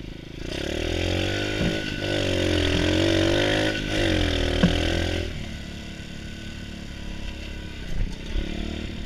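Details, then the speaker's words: Pit bike, same model as the rider's previous one, ridden while checking it out, rear brake not working: the single revs up and down cleanly with no stumble; running pretty good. "Right now it's running pretty good actually."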